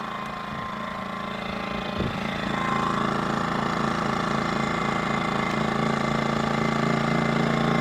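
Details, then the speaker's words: Predator 2000 portable generator recharging a Zendure SuperBase Pro 2000 battery; hum steps up in level and pitch as charging kicks in (climbing toward 1,500 W), then holds a steady, even drone under heavy load. "Now the Zendure SuperBase Pro takes a lot of wattage, guys. A lot. Listen to that generator."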